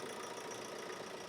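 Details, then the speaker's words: 2012 Ford Transit Connect diesel after repair with new fuel pump drive belt fitted: starts and idles evenly and quietly, belt squeal heard before the repair now gone, no chirp; normal healthy idle. "as you've just heard it started up like a little single sewing machine and it sounds so much quieter because haven't got that belt squeal like it did have before"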